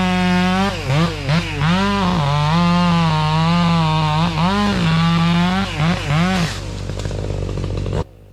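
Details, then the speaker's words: Chainsaw cutting a large oak: engine bogs and revs unevenly in the cut, then pitch drops and it idles down as the chain pops out of the bar rail without being thrown off. "It popped that chain out of that rail. It didn't throw it off, but it came out."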